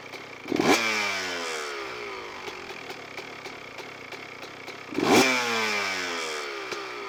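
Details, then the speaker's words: Two-stroke dirt bike with carburettor air screw turned in to a very rich position: uneven burble, sputtering blips and muffled bogging note, idle drops quickly, like choke on; over-rich mixture. "il s'embourbe assez bien et le ralenti vient de tomber vraiment rapide si définitivement trop riche d'un position"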